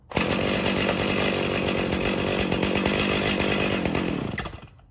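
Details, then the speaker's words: Stihl MS 290 chainsaw, somewhat warm at low idle: uneven idle that fades and dies after about four seconds; warm stalling, saw also bogs and has poor trigger response, later given a carburetor rebuild. "see and then she dies out okay about to die there right here"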